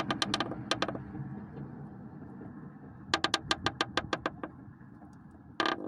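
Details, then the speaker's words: Lada Priora front right strut tower: short runs of sharp ticking crackles, about eight a second, with each push on the crack; source of the crunching noise, fixed by welding, after which no creak or crackle. "Вот откуда у меня и трещит."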